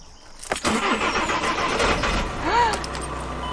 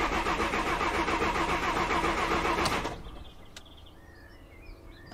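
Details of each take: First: VW Crafter/Mercedes Sprinter diesel van after dropping the fuel tank and fitting a diesel-heater auxiliary fuel line, warm day (~25°C), in neutral: short crank, then the engine catches and settles into a steady diesel run with no stumble; starts normally. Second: VW Crafter diesel van in neutral, after dropping the fuel tank and fitting an auxiliary heater fuel line, lines primed; steady fast cranking whirr about three seconds without firing: cranks but no start, connection by the fuel filter suspected not reconnected.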